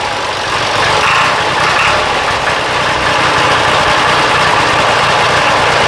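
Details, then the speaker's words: Diesel idling after the injectors were bled, during an injection pump timing check: dull, uneven knock-like noise about four times a second over the clatter, with poor throttle response; cause unclear, needs checking. "you can kind of hear it like got it's almost like a knock almost right um it's not knock but that's the best thing I can use to describe it"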